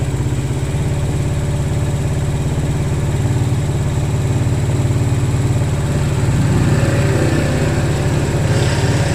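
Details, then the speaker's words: Motorcycle running again after being checked and worked on, but still noisy. Steady engine with a rough low pulsing and an extra noise on top; source unknown, and it will be observed first. Abnormal engine noise. "So yun mga boss, no, after na ma-check at gawin yung motor ni boss, umandar na naman yung motor niya. Yun nga lang, may ingay."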